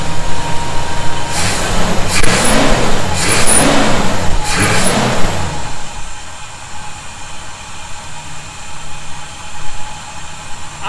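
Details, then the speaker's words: 1971 Chevy C10 after a cold start, with fasteners snugged to fix a suspected vacuum leak: a few throttle blips settle into a smooth, even idle with no hiss or whistle. Sounds healthy now. "not hearing it right now that may have been the answer you know i still didn't crank those down really hard they're good i just kind of you know snugged them up a little more"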